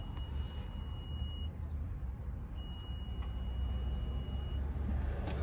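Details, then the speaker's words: 2015 Honda Accord with proximity key, during smart key programming with the original key placed in the car: two long, steady high beeps as the system reads the original key; a normal recognition chime. "That's a good sign. It's reading the original key. Sometimes it takes a couple of seconds."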